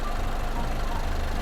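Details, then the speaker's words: Push-start car that earlier cut out when started (fuel gauge blank) now idling after repair, heard from outside the car: short steady, even low idle, no misses, knocks or rattles; battery then measured charging at 13.66 V. Normal idle. "ทุกท่านคงได้ยินเสียงเครื่องยนต์รถนะครับตอนนี้ก็ได้ติดอยู่นะครับ"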